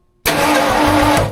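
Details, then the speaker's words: Freshly rebuilt budget 302 V8 in a tow truck, coil not connected, cranks with an even strong starter churn and steady rhythm, no knocks or binding; turns over freely, normal cranking. "we should be able to bust this thing off, or crank it over anyway. Obviously we're not trying to bust it off because the coil's not hooked up to nothing"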